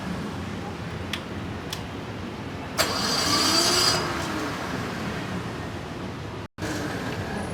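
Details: SDG12800E diesel generator: a few clicks, then a short rough cranking burst before it catches and settles into a steady run; hard starting.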